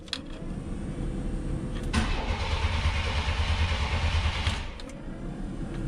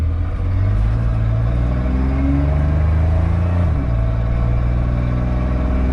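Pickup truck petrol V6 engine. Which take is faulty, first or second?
first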